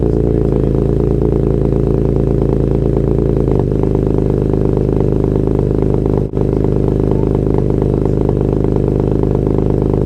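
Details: Alfa GTV 3.0 V6 with Wizard stainless downpipes and Cybox cat-back exhaust, largest silencer replaced by a delete section, first start in 18 months: fires and settles into a loud, deep, even burble with no knocks; healthy start-up.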